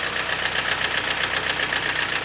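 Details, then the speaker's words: 2012 Kia Sportage G4KD, manual, AWD, 176,000 km, at idle: sharp, evenly spaced metallic knocks over the idle keeping time with engine speed; piston slap from scuffed cylinder walls. "Как вы все можете слышать прекрасно, это задиры, стуки-бряки."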